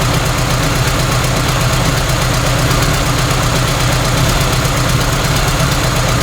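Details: Cold start at 65°F in garage after installing single carburetor, hand-throttled, no choke, minor intake runner vacuum leaks; external alternator connected: steady even idle with low drone, no misses, load smooths running but slows acceleration.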